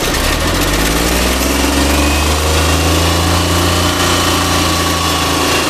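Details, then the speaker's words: Suzuki Mehran petrol car that wouldn't start after an engine wash. The wet breaker points were opened and cleaned, wiring wiped dry and current fed directly. It starts and holds a steady, smooth idle with no misfire. "ये करने से भी start हो जाती है जल्दी ये check करते हैं स्टार्ट करो"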